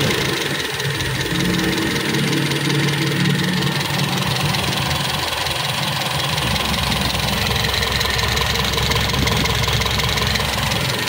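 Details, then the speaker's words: Toyota Kijang Super carbureted engine after overhaul (stuck tappet and combustion-chamber leak fixed), carb still needing work: steady even idle with constant hum, no knocks or stumbles; idle now smooth and even, healthy. "PR lagi buat si karbu ini kan udah bagus jadi bisa langsam dan rata"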